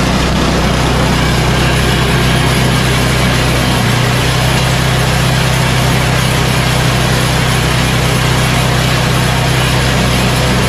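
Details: Yard Machines 8 hp Tecumseh snowblower after new carburetor and tune-up, at full throttle: loud steady single-cylinder drone holding speed evenly without surging or hunting; running smoothly.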